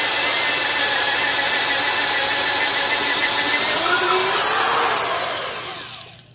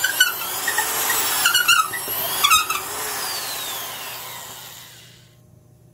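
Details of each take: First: Porter-Cable 1/2-inch drill, 5.2 A, 750 rpm, Jacobs chuck, drilling with an auger: steady high whine holds under load, dips slightly, winds down smoothly, no grinding; bogs less, normal operation under load. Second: Black & Decker Professional 1309 half-inch drill, 4.5-amp motor at about 600 rpm, boring with a 1-inch auger bit in wood: the whine drops in pitch as it bogs down under load because the motor is underpowered.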